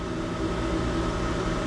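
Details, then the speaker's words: Electric jockey pump of a sprinkler system building pressure, gauge climbing from 162 toward 180 psi cutoff: steady motor drone with even hum and faint whine, no knocks or rattles; running normally. "up to 180 pounds. So as soon as that gets to 180, well, that jockey pump will stop."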